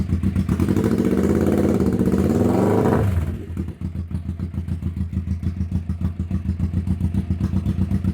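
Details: 1991 Kawasaki EN500 that bogged and backfired, after replacing out-of-range pickup coils that threw off ignition timing: revs up cleanly, then drops to a steady, even idle of about four pulses a second with no misses; normal running.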